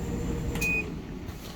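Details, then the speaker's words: Kenmore Elite electric dryer, model 110.68062801, running after replacing the drum idler wheels and a worn belt: a smooth, steady low drum hum with no more banging, plus a short beep. Normal dryer running. "this is the dryer running now you can hear how quiet it is everything's back to normal no more bang bang bang everything's good"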